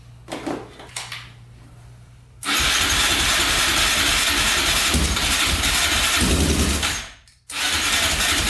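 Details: 2004 Yamaha Raptor 660 quad, rough and likely long-unserviced, fresh oil, gas poured down the carburetor, choke pulled manually: long loud cranking that never catches; no-start from a clogged carb pilot jet.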